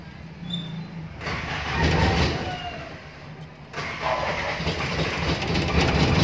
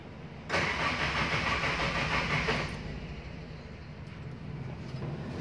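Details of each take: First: Toyota Tamaraw FX gas engine after a cranking no-start, battery charged and yellow wire moved to restore ignition coil power: two short cranking bursts, then it catches and settles into an even run with rising revs. Normal start after the repair. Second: Toyota Tamaraw FX gasoline engine, in neutral with a charged battery: starter churns steadily about two seconds and never fires; crank no start.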